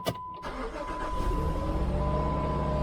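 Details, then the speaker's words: 2007 Jeep with a no-start, 192,360 miles, starter diagnosed and replaced: short rough crank, then it catches and settles into a fairly even idle. The start sounded off; cause unclear. "All right. That didn't sound very good."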